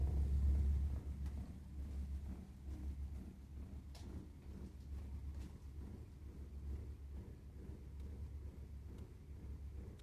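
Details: Burnham Alpine boiler while the burner fires: a low, uneven rumble pulses under a quiet background. Rough combustion is suspected, not confirmed.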